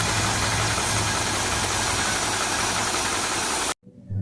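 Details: 1956 Chevy small block that was run out of oil, idling after a restart: rough idle with an uneven deep knock, about three per second, under a hiss, not heard while driving. The owner suspects a rod knock or spun bearing.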